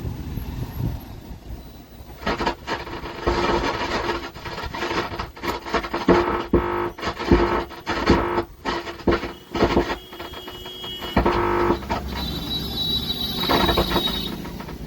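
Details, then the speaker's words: 120 W amplifier with crackling and hissing fault, during repair: irregular thunder-like rumbling with sharp popping bursts and sound sometimes cutting out; suspected fault in the amplifier, cause not yet found. "जैसे लग रहा है कि बादल गरज रहे हैं ऐसे आवाज आ रहा है।"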